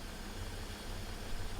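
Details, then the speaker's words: 1998 BMW E38 740i after new fuel pump, oxygen sensors also replaced: low, soft, even idle with a steady rumble, no misses, knocks or hunting. Rough running now fixed. "Listen to how she purrs. She sounds perfect."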